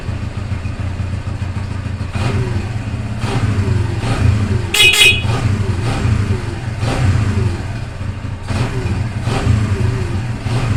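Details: Newly overhauled Barako 175 single-cylinder motorcycle after a tune-up to fix hard starting: even idle thump, picking up cleanly on a few throttle blips with no misses; running healthy.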